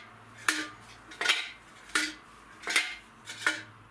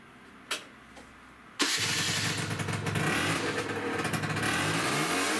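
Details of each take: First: Peugeot Speedfight 50cc water-cooled moped, original heavyweight exhaust removed and shaken: loose metallic clatter inside the silencer; broken internal baffles, exhaust worn out and to be replaced with a sports exhaust. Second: Peugeot Speedfight 50cc moped on fresh fuel with a 50 jet, after carb and exhaust work: it catches after a couple of seconds and revs up cleanly, pitch climbing and settling back; normal start and rev, variator next to fix.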